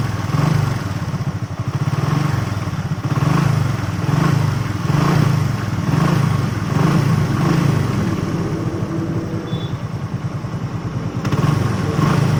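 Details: Hero BS6 single-cylinder bike idling with an uneven, lumpy beat and a light clatter riding over it; abnormal engine noise, cause not pinned down.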